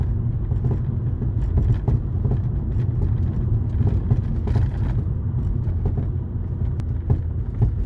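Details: VW Golf (lowered) driving in winter after snow and hard frosts, all silent blocks recently replaced, suspension recently checked as fine: dull, irregular knocks from the rear over low road rumble. Owner suspects frozen snow, poor-quality silent blocks or worn struts; cause unknown.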